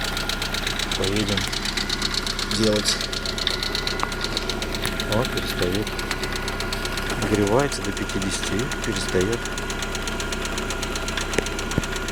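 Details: Lada Priora at idle: fast, even light ticking in time with the engine over a steady idle. Noisy hydraulic lifters; all were replaced under warranty.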